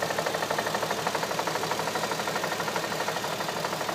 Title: Engine knock 2007 A3 3.2